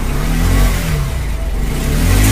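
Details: Bajaj Pulsar 125 BS4 that was misfiring and stalling, after carburettor cleaning: clean single-cylinder revs rising and falling smoothly with no popping, hesitation or cutting out.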